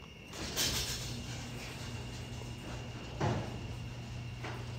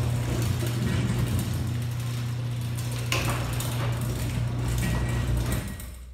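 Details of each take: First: Genie ProMax 1/3 HP chain-drive garage door opener closing the door: steady low motor hum with chain running evenly, a couple of light clunks at start and stop; closes smoothly. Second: Genie ProMax 1/3 HP chain-drive garage door opener running: low steady humming drone for about five seconds then winds down; trolley chain a little loose.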